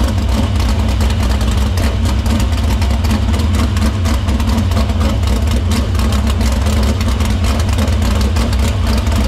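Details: Dirt Silver Crown race car fired in the shop after a fuel-cell line repair, filter cleaning and fuel routed through the pump and main lines to the barrel valve. A loud, deep, even rumble holds steady without stumble or misfire. Fuel system checks out: normal running.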